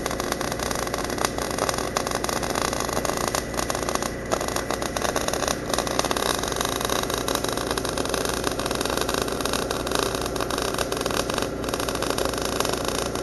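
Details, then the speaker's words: MIG welding on an engine-drive welder after settings adjustments: steady frying crackle with irregular pops and brief dropouts, arc sputtering a little, over the engine's drone; weld running hot. "yeah you hear it sputtering a little bit I've made some settings adjustments here"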